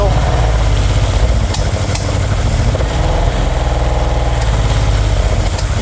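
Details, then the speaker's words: 1970s Aston Martin V8 barn find, first start with carbs primed and fuel pump on: deep, lumpy idle that stumbles with irregular spluttering and popping and a leak. Suspected not getting enough fuel, not confirmed. "it's obviously spluttering and popping cuz it's probably not delivering as much fuel as it wants given we know it's thirst"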